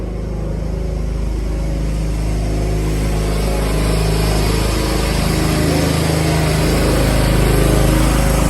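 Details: John Deere 175 Hydro lawn tractor, previously a no-crank and stuttering start, running after a starter relay was installed. An even single-cylinder putter builds smoothly with no misses or knocks: healthy.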